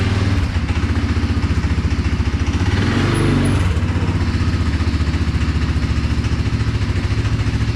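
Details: CFMOTO 520S quad idling in neutral after a quick repair of a belt drive that was too tight and kept it stuck in drive. Single-cylinder thump at an even beat of about three and a half per second with a brief blip; engine and belt drive running normally.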